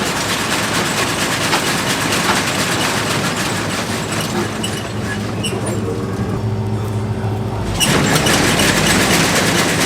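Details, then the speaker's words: Corn head on a harvester being prepped for harvest: busy clattering din with loose metallic rattling from bolts that worked loose, one worn through its hole; needs tightening; loose bolt rattle. "foreign yeah we need to tighten these down this is what was making all that noise oh yeah"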